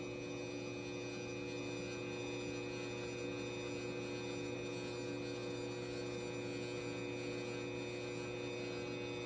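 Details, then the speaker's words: Schneider XW Pro hybrid inverter charging four batteries, grid input just enabled; loud steady electrical hum with a buzzy edge and several fixed tones, versus very quiet before; loud inverter hum. "I just want you to hear if I turn the Grid on here how loud this gets"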